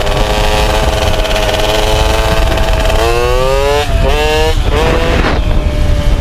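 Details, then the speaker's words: MBK 51 two-stroke moped after revival: buzz climbing and dropping with the throttle, burbling unevenly at low revs; owner feels it stumbles at low rpm, suspects mixture too lean or too rich, plans spark plug colour check to adjust. "Maintenant, le tout c'est de bien les régler parce qu'à bas régime, soit les trop pauvres, soit elle est trop riche. Je le sens, elle ratatouille."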